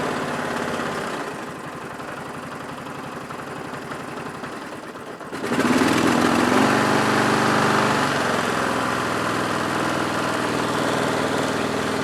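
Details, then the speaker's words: Lawn tractor started and put in gear with brake on: engine note jumps as drive engages, then a light regular rattle about four per second; owner suspects transmission, unconfirmed. "but if both wheels are on the ground it'll go and I hear the sound slightly"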